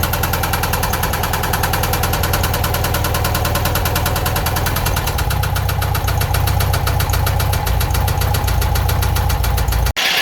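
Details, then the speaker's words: Engine running with a heavy, steady knock about three times a second, loud in the low end; rpm and noise change between car raised and on the ground. Owner suspects rod knock, unconfirmed. "but listen when it's up in the air or when it's down on the ground it changes rpm and noise"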